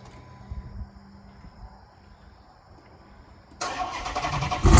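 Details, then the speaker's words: Dodge Challenger SRT8 V8 starting after a new fuel pump relay was fitted: it catches quickly with a short rev and runs strong; some wiring still unfinished and the drive belt is shattered and needs replacing. "we got some wire still inside it but it's running"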